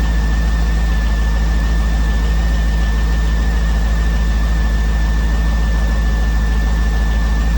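Steady idle with a light, fairly even tick about a hundred times a minute and a faint whistle; ticking at idle, cause unclear.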